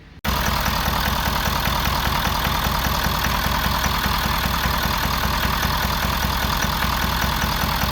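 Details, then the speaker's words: 2011 Ford Super Duty 6.7L Powerstroke diesel V8 idling with uneven loping misfire; cylinder 6 has low compression, suspected dropped or burnt valve, little blow-by, slight smoke. "But with that sound coming out of the exhaust, I would assume we have a drop valve or something, burnt valve or anything like that."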